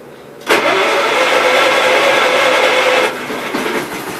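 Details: Engine started after a week unused, following a fuel line fix for earlier stalling: catches quickly after cranking and runs steady with an even tone; a healthy start.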